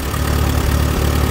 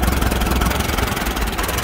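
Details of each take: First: Allis Chalmers WD tractor baling hay in 100-degree heat, after correcting ignition timing that had caused popping and missing: low steady even thumping, no misfire or stumble, some wind noise; runs much better. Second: Allis Chalmers WD tractor with ignition timing set retarded at the distributor, low lumpy chugging idle worsening with throttle, sounding like dirty carburetor or bad ignition; rough idle from retarded ignition timing.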